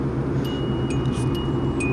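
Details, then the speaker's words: 2007 Kia Rio sedan, seat belt fastened: a clear single high ding repeats at steady intervals over cabin hum; belt reminder keeps sounding, cause not found. "it's a sedan Rio [ __ ] oh seven and the ringing won't go off as you can hear it even with the seatbelt on it will just keep going off every five seconds"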